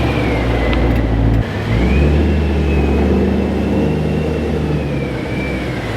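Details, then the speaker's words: BMW E92 M3: thin, steady whine from the front of the engine, only at idle and slight load; changing the power steering fluid didn't help; the cause was worn drive-belt pulleys, fixed by replacing the pulleys and tensioners. "an expected main thing that I wanted to get fixed today was the car was making a whining at alignment sound"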